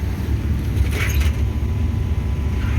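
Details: Two-year-old 100-ton Trane IntelliPak rooftop unit, supply blower at 100 percent while StatiTrac reads about 1 inch static against a 2-inch setpoint: loud, steady low roar with no rhythm or tone change, heard throughout the building; blower overspeed from faulty static pressure sensing.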